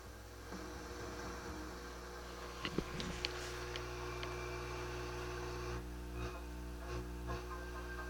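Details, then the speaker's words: 1960s Harman Kardon F10 Tempo tube FM tuner with new tubes, amp volume at maximum: a steady low drone with stacked overtones and faint clicks. Heavy mains hum; a cap is suspected and the selenium rectifier noted. "i think it probably needs a new cap but uh yeah it's got quite a bit of hum it's got a selenium rectifier here"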